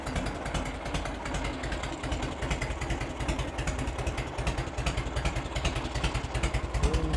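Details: 1986 Harley-Davidson Heritage Softail, 29,000 original miles, idling after its first start in over 10 years: a steady, lumpy, low big-twin thump settling into an even idle with no knocks or misses; it runs fine apart from a leak from a hose.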